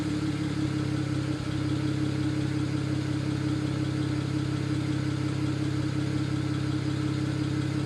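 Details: BMW 135i at idle: uneven stumble recurring roughly three times a second over a steady low drone, no fault code set; engine misfire.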